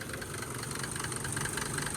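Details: Mercedes W124 diesel after fixing the serpentine belt squeak by correcting belt alignment; steady, even idle with a smooth low rumble and no squeal or chirp from the belt, normal running.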